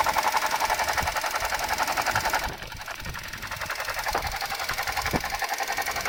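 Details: Suzuki Jimny JB64 at idle: fast regular whirring chatter about four beats per second, dropping briefly, from a faulty alternator, replaced under warranty with a new alternator.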